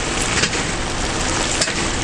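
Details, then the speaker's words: GE washing machine on Super Wash, warm/cold, medium load; over sloshing water, sharp clunks about a second apart at every drum direction change; knock in the wash drive, later repaired by Sears. "the drums going one way then the other and the agitator is doing his own thing with a clunk"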